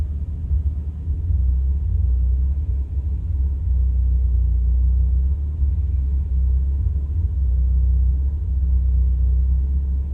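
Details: 1985 Celica 22RE-C rough idle recorded from inside the car with doors and windows closed: deep, uneven rumble with irregular lumpy pulses and dips.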